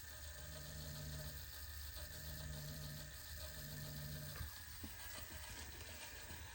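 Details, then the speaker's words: Cheap plastic Amazon RC crawler gearbox with metal motor plate, run on a stand at low throttle: light, even gear whine, no rubbing or clicking, significantly quieter; normal gearbox running. "Yeah, it's significantly quieter."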